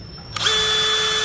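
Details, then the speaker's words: New DeWalt DCD996 hammer drill (DCK299P2 kit) run at its fastest speed: about a second of steady, even high whine with a clean start and stop. The drill motor runs smoothly. "ở các cấp độ nhanh nhất mà anh chị nghe tiếng máy dcd996 cực kì em"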